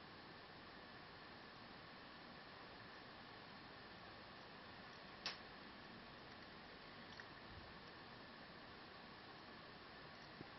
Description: So I have this asus n56vb for 4 months and now I started to hear weird sound from it from time to time, its like clicking sound or something, it looks like it comes from bottom of the computer (maybe).